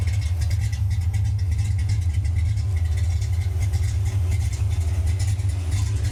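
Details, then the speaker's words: Same car after the alternator belt was removed: steady, deep, even idle through old-school Flowmaster exhausts, with no squeal, knocks or misses. It runs great. Normal idle. "ooh she sounds good you got to love them old school flow Masters [Music] though would you just look at me in the old poop still runs great still runs great oh would you sounds good too"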